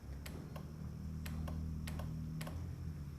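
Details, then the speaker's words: Ford Ranger with a budget LS swap and standalone harness: fuel pump relay triggered by a positive signal on the blue-orange wire via alligator clip, about eight crisp clicks over a low hum; relay pulling in properly, fuel pressure gauge needle jumping. "So now it's actually working. I can hear it, and then if you were looking at all, you'd be able to see the needle, because I still have the fuel pressure gauge hooked up."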